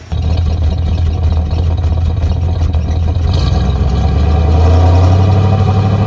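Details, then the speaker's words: 1966 Plymouth Fury III, Poly 318 V8 after a new coil and work on the spark plugs and distributor cap: engine catches at once and idles on its own quietly and evenly, no misses; before, it needed high throttle to keep running. Normal idle. "Hey, it's actually running, right? Yeah. Before we couldn't get it to run by itself like this. You always had to keep the throttle very high. But it seems to be actually doing its own thing now. Very quiet."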